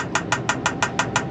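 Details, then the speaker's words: Diesel air heater newly installed in a Promaster van, priming its fuel pump via two held buttons while air bubbles travel through the fuel line: crisp, even ticking about six times a second over a low hum; normal priming clicks. "that's gonna prime it you'll start hearing a clicking noise so as soon as you prime it you'll start hearing a clicking noise"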